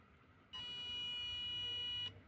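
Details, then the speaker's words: DT830D digital multimeter probes across a mobile phone motherboard give one steady high beep lasting about 1.5 seconds, meaning the board has a full (dead) short. "আর যদি beep দেয় এরকম শব্দ করে, তাহলে বুঝবো ফুল shot."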